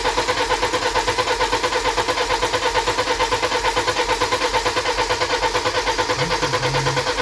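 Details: BMW E91 320d diesel, first start after high-pressure pump failure, with the pump and injectors replaced, fuel system flushed and de-aired, and adaptation values reset; even clatter of about two pulses a second with no misfire or knock. Normal idle.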